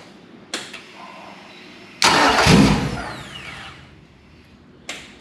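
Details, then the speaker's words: Yamaha F100 100 hp four-stroke outboard run briefly without cooling water: it catches, fires for about half a second, then cuts out and won't idle. Starts then stalls, said to be a common fault on this model. "It's starting but it won't idle. It runs for about half a second and then cuts out."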